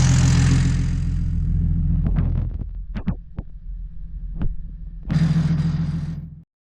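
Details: BMW 135i N54 single-turbo, started right after replacing the coolant flange with a billet part and adding coolant. It catches and settles into a smooth, even idle with a steady low hum and no knocks or ticks. Sounds healthy.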